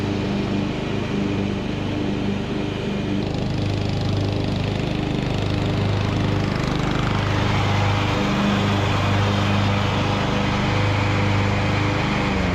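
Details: Revived Craftsman YT3000 riding mower, abandoned about 4–5 years, cutting long grass under load; steady, even engine drone holding its pace, no knocks, misses or surging; judged a nice good-running mower.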